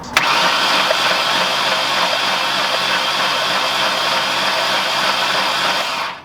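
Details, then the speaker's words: V8 engine that ran worse and worse then knocked, cylinder flooded with fuel (owner unsure if a valve bent): cranked to clear fuel, hollow hissing crank rhythm with no firing as raw fuel sprays out. "t started running worse and worse and worse to the point to where when I started it started knocking so I don't know if it bent a valve or what it did but I'm going to crank it over and try to get all that fuel out"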